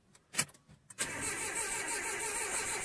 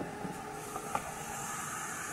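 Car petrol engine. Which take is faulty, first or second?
first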